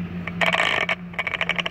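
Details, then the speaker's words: DeWalt DCS570B 7-1/4" 20V cordless circular saw with brake, about three months old, blade removed: short motor hum fades, then a quick run of sharp clicks about eight per second after the motor stops; owner suspects the brake is engaging. "there we go but if i turn the thing you hear it clicking"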